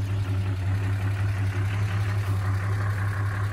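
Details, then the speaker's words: 1979 Chevrolet Opala SS6, 250-S six with carburettor and mechanical (solid) lifters, freshly restored. Steady even idle with a light regular valvetrain tick, the characteristic normal lifter noise of the 250-S. "esse barulho de tche característico do motor 250s"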